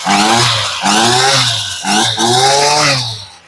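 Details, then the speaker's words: Ryobi two-stroke weed eater, sat in a garage since 2023, fuel lines had been fitted backwards, just started on choke after a cold-blooded first pull: buzzy revs rise and fall three times, picking up cleanly and evenly; trimmer runs properly. "Ah, we felt a kick. A little bit cold-blooded. And there she goes."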